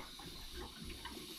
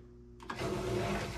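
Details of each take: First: Central Boiler CL 6048 outdoor wood boiler loop refilled after replacing a failed Taco 007-F5 circulator pump: soft gurgling and trickling as air bubbles out through the pipes; air purging after the heat exchanger seal was broken. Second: Taco 007-F5 circulator pump, newly installed on a Central Boiler CL 6048 outdoor wood boiler after the old one blew. It clicks on and settles into a steady, smooth low hum with no rattle or grind; running normally.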